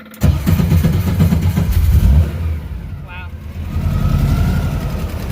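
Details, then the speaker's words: Custom-built air-cooled VW Baja Bug ("Dust Buggy") starting after the owner checked the oil and reseated the plug wires in the distributor cap over a suspected arcing boot; catches quickly into a strong, even low rumble, no rattle or stumble; a normal start. "she sounds strong."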